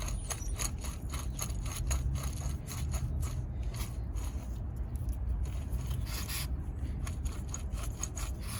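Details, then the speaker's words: Chevrolet Cobalt old wheel hub assembly removed, spun by hand: rough gritty scraping that never smooths out; worn hub bearing, replaced with new hub. "here's the old one and it makes a heck of a noise see see if you can hear it"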